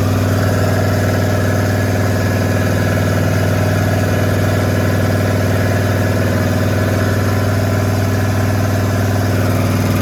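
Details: Small-block Chevy 350 V8 rat rod after cam swap, around break-in: steady loud idle with slight lope and even beat, no ticking or knocking; runs clean, crisper than stock.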